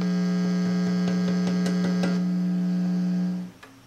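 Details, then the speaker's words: Preamp tube in a Micronaut microphonic analyzer, warmed up and showing healthy gain on both triodes: steady low hum with light tapping clicks and no ringing or squeal; a pretty clean, non-microphonic tube. "pretty clean tube"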